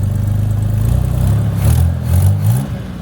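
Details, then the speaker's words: Forgotten 1983 Chevy Camaro, abandoned 15 years, running after vacuum leaks were fixed, being driven to test the clutch: low uneven engine note pulsing with revs, with a raspy puffing edge on each pull from exhaust leaks. "Nice exhaust leaks."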